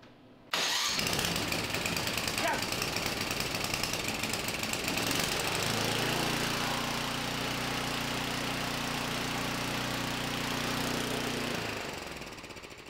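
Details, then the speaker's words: John Deere 1032D snowblower, Tecumseh 10HP, after replacing carburetor with new one, started on choke with throttle up and primed: catches first pull, steady even putter; normal start and idle. "all right that was a much needed success I've been having a lot of difficulties the past few days with things not working and uh"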